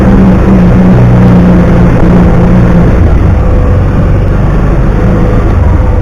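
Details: 2009 Kawasaki Teryx 750 fuel-injected side-by-side, after fix for warm backfiring and power loss (nail inserted in center section): steady low engine drone, no popping or stumbles — runs perfect.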